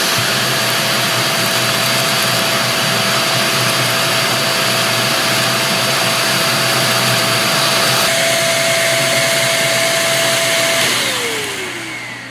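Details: Greenote corded AC stick vacuum (18 kPa, HEPA, bagless): steady high whine with even airy rush, no rattles or surging, then smooth spin-down at switch-off; runs very smooth and quiet, healthy.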